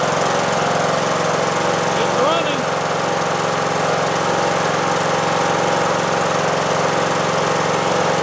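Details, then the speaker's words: John Deere D110 lawn tractor after engine swap, running about 10 minutes, small puff of smoke at startup now gone: single-cylinder holds a steady, even idle with a faint valve tick, owner may adjust valves; normal idle. "Gave us a little puff of smoke at startup, but it's not smoking now. I'm really pleased. The engine sounds good."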